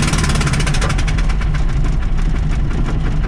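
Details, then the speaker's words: VW Baja Bug with single Weber 40IDF carburettor replacing twin carbs, not yet tuned: loud, rough chuffing beat with uneven pulses over low rumble; misfire from a spark plug probably left loose that blew straight out of its hole. "That sounds absolutely awful. Sounds like it's just popped a spark plug right out."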